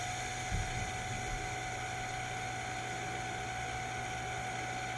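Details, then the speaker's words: Old inducer motor on a Trane XR90 furnace, before replacement: steady hum with a hoarse, grainy whir and constant high tone riding over it; very noisy, typical of failing bearings, so the whole motor is being replaced. "The old one is making a lot of noise, kind of typical of bearings going bad. It's easier just to replace the whole thing than try to mess with just the bearings."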